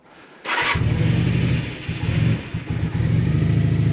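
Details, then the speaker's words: Honda motorcycle (V65 Magna, VT500C or CM250T) started after winter storage, battery charged and float bowls drained: it runs rough on choke, then bogs and nearly dies when the throttle opens. It improves as it warms up. "I don't think we're getting Look, when I try and crank the throttle on."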